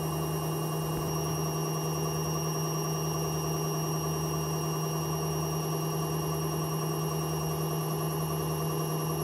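Constant loud droning roar with a steady hum and a rough, uneven churn while the drum spins, typical of worn drum bearings.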